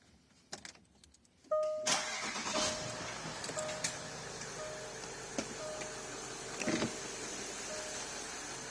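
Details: Range Rover Sport V8 diesel started after oil cooler replacement, already run for an hour with no oil leaks seen underneath. Quick crank, catches cleanly and settles into a steady, even idle with no knocks or ticks; healthy start.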